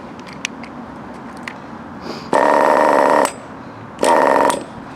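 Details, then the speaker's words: FTX Carnage NT 1/10 nitro truck, GO .18 engine at operating temperature after break-in: two short high buzzing bursts that die within a second; idle set too low, so the idle screw is turned clockwise for a higher idle. "So it still needs adjusting a little more, so I would just turn it up more."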